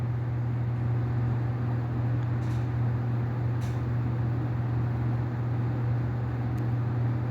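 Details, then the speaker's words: Split AC indoor unit blower motor, removed from the blower and run alone: steady low hum with a rough, gritty undertone; the motor's two bearings are worn, while the blower and bushes are fine, so the motor is replaced. "তো এখন কিন্তু শব্দ করতেছে। তো মূলত এই মোটরের বিয়ারিংগুলা খারাপ হয়ে গেছে, যার কারণে এই শব্দটা করতেছে।"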